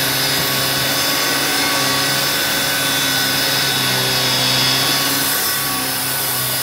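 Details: Electrolux 612E (600 series) upright vacuum after new Qualtex brushroll replaced the worn one, lowest carpet setting: constant high motor whine with steady brushing rasp, no knocking or pitch drop; brushroll spinning freely, healthy.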